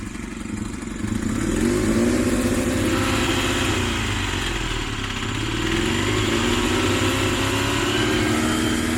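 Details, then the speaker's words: Honda VFR400 (fairing and paint redone) engine at low rpm: light ticking about four per second over an uneven revving twin, gone at high rpm; owner thinks it comes from the top end (valves) but is unsure. "แต่พอกลับรอบต่ำรอบต่ำมันจะมีเสียงนะครับแต่คือจากที่ผมฟังเนี่ยจากที่ผมฟังรอบสูงไปเนี่ยมันไม่มีเสียงกระรอกต่ำนะน้องครับมันดังแก๊กๆเหมือนชาร์จจะละลายนะครับแต่ว่าผมตั้งใจฟังดีๆแล้วมันเหมือนมันมาจากช่วงบนนะครับช่วงวาล์ว"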